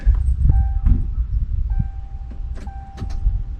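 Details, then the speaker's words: 1988 Mercury Cougar (Foxbody) revival after fuel tank cleaning, key on: faint steady fuel pump hum for about one second then stops; normal prime. "there we go it's like about a 1 second prime try it again yep"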